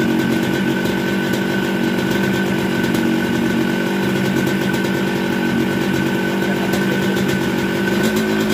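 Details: Yamaha RX King two-stroke with 125Z head, after engine rebuild with new connecting rod and cylinder block for very rough sound, magneto rub ground away; crisp even buzz at steady revs, clean pitch, no knocks or rattles, healthy.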